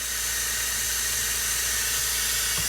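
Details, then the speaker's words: MCI 9 bus air brake system with a steady, sharp hiss of escaping air, heard near the leaking leveling valve air line and inversion valve; the DD3 brake chamber diaphragms are bad. Air brake leak. "Where's that coming from? Sounds like your side. Okay, go ahead. It's definitely got a leak."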